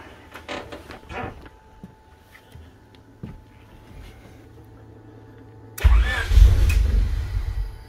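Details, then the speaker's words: Honda Civic hatchback engine after new injectors: slow starter cranking in short bursts, then a rough catch and surge for about a second before dying; owner suspects a missing ground, ECU or unidentified wiring, unconfirmed. "so you can see it kind of looks like it's about to start but then it just cuts off so it does that it just keeps doing that"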